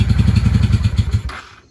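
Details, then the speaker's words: 1995 Honda Shadow VLX 600 VT600CD, dug out after sitting in the garage. Its lumpy V-twin beat runs only with throttle held and dies within half a second when released, so it won't idle. The owner suspects carburetor adjustment, not confirmed. "he shuts down when you let off so yeah I think we have a carburetor management issues"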